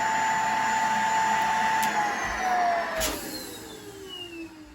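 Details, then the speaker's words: Shark Navigator vacuum that sucked up a cleaning glove, with the hose attached: a thin whistling motor tone that sags in pitch, with little rushing air. Suction is weak because the hose is clogged. "sounds like a normal vacuum then when I put this on you can hear the noise it's it's stuck down here now it's not able to cause a lot of suction because it's blocked"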